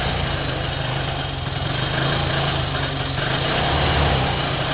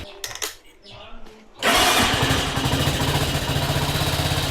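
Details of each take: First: Carbureted 125cc Chinese budget commuter motorcycle, cold on choke after sitting about a week: lumpy, uneven idle with wavering beat that sags and recovers, nearly stalling; owner suspects fuel needs to start flowing; rough running on choke. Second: Carbureted 125cc Chinese budget commuter motorcycle after no-start repair, choke fully off: a few quiet clicks, then push-button start catches at once and settles into steady, even idle; normal electric start.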